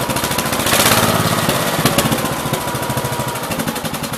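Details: 1969 Gravely 432 with a rebuilt K321 14 hp single-cylinder engine and a new piston, running for about half an hour. Sharp pops at about 210 a minute with a fairly steady beat and no knock; healthy normal running. The owner suspects a fuel pump problem.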